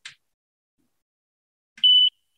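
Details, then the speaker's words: MIT and 10XBeta rescue ventilator that mechanically compresses a bag valve mask: a click at switch-on, then a single clear high-pitched beep lasting about a quarter second; power-on beep. "It is a rescue ventilator. I'm gonna turn it on. (ventilator beeping)"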